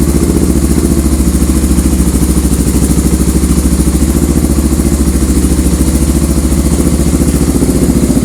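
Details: 1985 Honda ATC 350X three-wheeler that was fouling plugs and smoking, after oil change, air filter, carburetor service and new plug: deep steady even thumping, no misses, knocks or hunting; single running clean.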